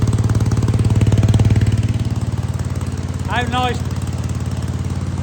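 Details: Wheel Horse C-120 single-cylinder engine running after fuel was drawn up and the filter refitted, on an old plug. Quick, even thump holding a steady speed without stumbles or knocks; normal running.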